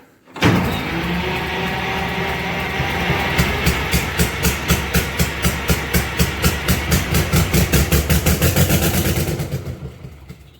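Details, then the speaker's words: Allis Chalmers HD20 crawler, GM 6-110 two-stroke diesel, sat 15 years, with a rebuilt blower, new full-flow filters and a shot exhaust; it fires with rhythmic puffs for several seconds, then dies with no fuel pressure showing on the gauge. Brief firing then stall. "well there it popped off but I still don't have any fuel pressure showing on the gauge yet so let's see if we can get her to go again"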